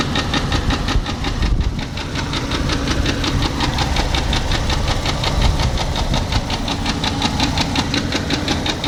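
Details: 2003 Jeep Grand Cherokee 4.0L petrol six at idle: sharp, steady knock about five or six beats a second; owner unsure whether broken piston skirt, rod knock or loose timing chain guide.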